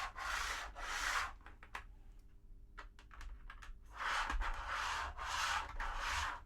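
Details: TT120 model railway wagon pushed back and forth by hand on track glued solid with PVA to a hard board; loud hollow rushing roar rises and falls, hard mounting amplifying it. Track noise from hard-mounted track.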